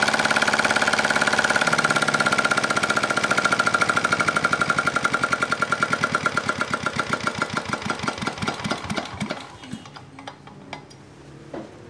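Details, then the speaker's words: R180 single-cylinder diesel that was hard to start from lost compression, after valve reseat and new piston and piston rings: even, steady thump that slows and dies at shutdown; runs well, ready for owner. "Oh ya baik tadi sudah kita coba ya dan sudah oke siap diambil pemiliknya mudah-mudahan awet dan lancar baik"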